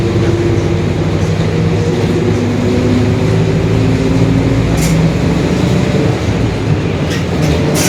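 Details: 2021 Marcopolo Torino S bus on Mercedes-Benz OF-1721 Bluetec 5 diesel chassis, extended length, onboard while riding: steady deep drone and low rumble under road noise, the growl of a rear differential.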